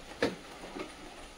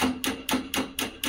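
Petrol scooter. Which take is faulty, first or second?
second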